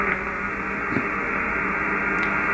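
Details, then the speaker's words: HF receiver tuned to medium wave around 474 kHz: steady raspy buzz with a faint hum line underneath; interference traced to the ungrounded fiber optic internet terminal. "hello fellow Iams I'm trying to decode whisper on medium wave as you can see we're on for 70 4.20 and I've got noise for that you can hear it to hear that buzz and as I tuned across the area there it is"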